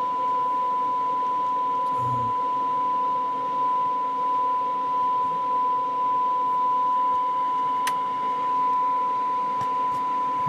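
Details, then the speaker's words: McIntosh MC225 amplifier playing a steady 1 kHz test tone at about 0.2 V; turning the input potentiometers gives sharp pops and faint crackle because they are dirty and aged and need cleaning. "the popping and crackling noises in here as I turn the input potentiometers. It means these things are just they got some dirt in them and got some age to them, so we're gonna clean those out real quick."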